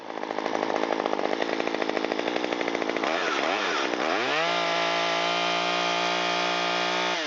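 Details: Stihl MS193T chainsaw test run after rebuild with new piston and cylinder kit, having been run on straight gas and not starting: strong high revs with a rapid even beat, then drops smoothly to a clean, steady idle; running healthy.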